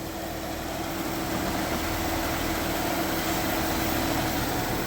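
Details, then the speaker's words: Springfield Coach limo, 3.6L V6, after bypassing the idler pulley with a different belt: smooth, quiet idle, no squeal or chirp, belt tracking well; belt squeak fixed. "I don't hear anything. Look at that. And the belt looks like it's tracking perfectly."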